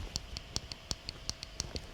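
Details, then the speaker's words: Down button on a vape mod that fell off a cabinet onto a hard floor: sharp, light clicks about every third of a second, a normal working click, while the damaged up button no longer springs. "This is the up button here, right? And it's not springing, right? The down button, you can hear the click."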